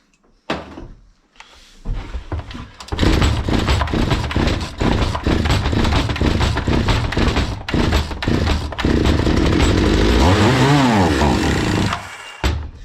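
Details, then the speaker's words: Zomax 5020 two-stroke chainsaw, not running; on starting spray it catches, revs raggedly with wavering pitch for several seconds, then dies. No fuel is reaching the carburettor. "Buradan artık spreyle ben de koyduğumuz zaman çalışıp istop ediyor Bu ne demek oluyor ki karbüratör benzin gelmiyor demek oluyor"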